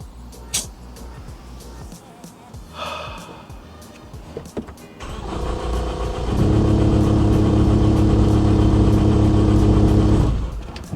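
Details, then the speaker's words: Ford Focus ST with big turbo, unstarted about 10 months, crank no start after first start died; steady starter whir with even cranking pulses near four a second, never catches. Cause: out of gas. "Yeah, it has no gas. That's why it's not starting. So we're gonna have to go get gas, bro."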